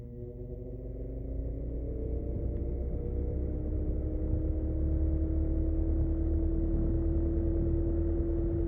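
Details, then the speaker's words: Vintage 1947 GE 12-inch Vortalex fan, model FM12V1, started on medium speed; motor hum rises smoothly as it spins up, then settles into even low drone with no ticking or scraping. Super nice runner; oscillator doesn't work. "Super nice runner."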